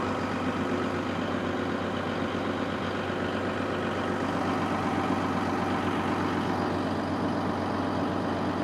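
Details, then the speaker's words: Caterpillar SS250 soil stabilizer, diesel believed to be a 3406B, sat 5–6 years, just started unprimed; steady even idle with smooth low rumble, no knocks or misses, about 40 psi oil pressure; running healthy. ".40 psi of oil pressure. Very cool. A little throttle."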